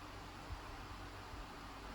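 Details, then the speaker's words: Dyson AM09 Air Multiplier fan heater after a year of use, fan speed raised to maximum 10: a loud, steady, even air rush with a low hum and no knocks or rattles; a healthy fan at full speed. "So it actually goes 10. So 10's maximum. Pretty loud. The thing I don't like about fan heaters generally is the noise."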